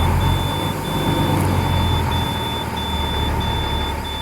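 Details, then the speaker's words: International DT466E diesel school bus after a cold-weather start, idling while warming toward about 140 degrees: steady, even idle under a repeating warning beep, no knocks or misfires; normal cold idle. "And now if you can hear me over the alarm in the engine, I'm going to wait for this thing to get up to about 140 degrees."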